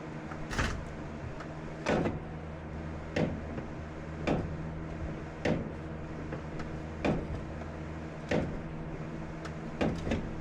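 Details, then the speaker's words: BMW M3 on return to the season: sharp loud clicks about every second and a half, somewhat uneven, when steering off center, getting progressively worse; clicking when steering, cause not yet found. "Last is there's this really loud clicking and you'll I'm sure you'll hear it when I'm turning off of center."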